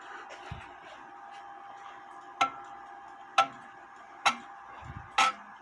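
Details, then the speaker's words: Repaired 1917 Junghans German mantle clock with the silencer closed; steady tick with four dull muffled strikes about a second apart instead of a ringing gong, the chime going through the motions but muted. "it's actually to silent the clock you can close that in the it'll go through the motions but it won't make a nice gong uh chimes"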